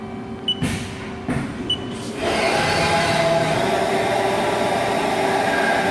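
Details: Haas ST-20 lathe: a few light ticks, then the spindle spins up to a steady rough hum with a faint tone, reportedly getting louder, with inconsistent finishes on cutoff; worn spindle bearings suspected, not confirmed.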